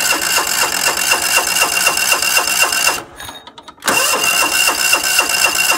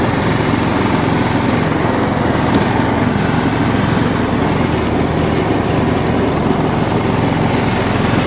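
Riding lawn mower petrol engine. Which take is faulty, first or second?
first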